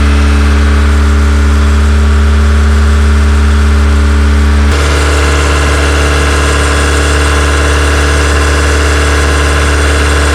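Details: Honda EK Civic with a freshly built Vitara D16 turbo engine on its first start-up, radiator cap off; steady fast idle stuck around 2000 rpm. Owner thinks it is an ECU setting he can't recalibrate and suspects the throttle body.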